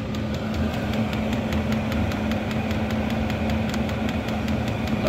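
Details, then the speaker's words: Vevor diesel air heater after repair at power levels 9–10: steady even combustion roar with light fuel-pump tick about four times a second, no surging or misfire; normal running at full output. "let's let's try level 9 that thing is really cooking fuel pump's clicking away got nice warm air coming out our vent over here"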